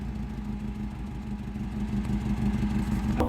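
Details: 2001 Mitsubishi Lancer at a low idle with an uneven, wavering beat, the engine speed drifting up slightly before a sharp clatter; rough idle, with the temperature sensor and injector mentioned as possible causes, not confirmed.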